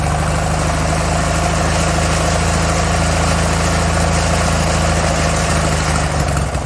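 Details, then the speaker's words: SCAG hydro 52-inch zero-turn mower bought at auction, running after the starter was fitted; steady even low idle with a smooth pulse, no knocks or misses, normal. "Was off. So it runs so far."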